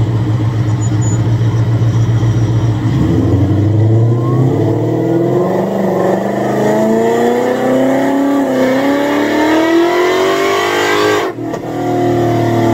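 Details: Supercharged Coyote V8 Ford Fairmont on dyno, about 900 rear-wheel hp, new Magnafuel 750 pump on boost-referenced return fuel system: note climbs smoothly about eight seconds under full load, no stumble or misfire, then lets off cleanly; plenty of fuel, normal WOT pull.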